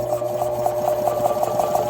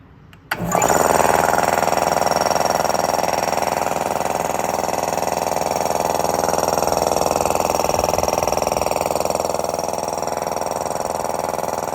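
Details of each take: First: Used Sanborn 1.6 hp air compressor that would not build over 20 psi: the motor hums and labors with rhythmic pulsing, reluctant to start, then keeps running. The owner suspects bad start or run capacitors. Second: Sanborn 1.6 hp electric air compressor after capacitor check, wiring fix and shortened cord: kicks on at once and runs at a steady, even chug with no bogging, reaching about 133 psi.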